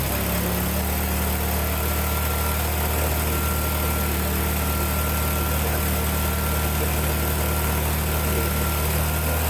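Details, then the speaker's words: Yard-Man snow blower revived after replacing carburetor, spark plug and primer bulb: engine catches within a second and settles into steady, even idle with no stumbling or misfire; runs healthy. "It works. So I revived this snowblower that I got for 20 bucks online."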